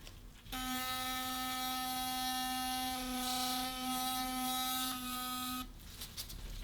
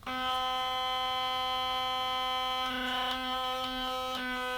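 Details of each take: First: Philips Sonicare DiamondClean HX9340 toothbrush after its loose internal screw was retightened with Loctite (it had vibrated loosely and noisily): a steady, clean buzz at about 260 Hz for five seconds, then handling noise. Finding: normal running. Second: Philips Sonicare DiamondClean HX9340 electric toothbrush: harsh, steady high-pitched buzz, louder and rattlier than before, from a small internal screw vibrated loose.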